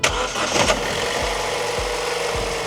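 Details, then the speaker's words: Sprinter camper van started using a Top Don JS3000 portable jump starter clipped to the battery: short crank, engine catches and settles into smooth even idle, no stumble; healthy start. "This is going to be so handy when we're in Spain. We don't need to rely on anybody else. If we have any problems with our van battery, we can fire it up with this."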